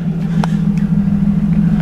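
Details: BMW E36, back running after a long while, warming up: steady, even low hum with no misses, hunting or hiss; smooth, normal idle.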